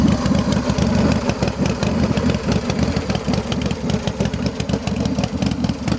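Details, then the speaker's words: 2000 Big Dog Bulldog custom chopper, 12,360 miles, carbureted V-twin with S&S carb: lumpy, loping idle with even, steady pulses, no misses or knocks; runs great. "And like I said, this thing runs great."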